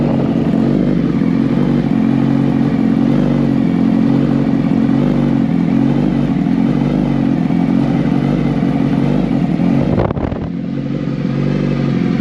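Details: 2019 Suzuki Hayabusa after reassembly with a new full exhaust system: a loud, steady exhaust drone at a settled idle with no knocks or rattles. Normal idle.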